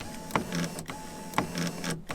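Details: Ford C-Max power window: short bursts of a thin electric whir as the motor spins freely each press with no strain, but the glass doesn't move; motor suspected failed inside the door, other side likely the same.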